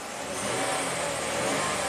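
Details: 2016 Dodge ProMaster van on its original, water-damaged PCM with a pending P0760 overdrive solenoid code: a brief, even rev with a smooth, steady note and no stumble or misfire, running on all six cylinders.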